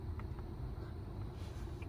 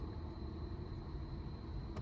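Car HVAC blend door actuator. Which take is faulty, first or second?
second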